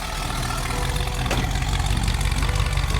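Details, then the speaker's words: Early Bronco petrol engine idling with steady low rumble, no ticking or clicking; fuel-injection clicking heard before is gone, idle set at 600 RPM but hunting, distributor possibly loose. "Sounds good. All that clicking we used to hear with fuel injection doesn't do it anymore."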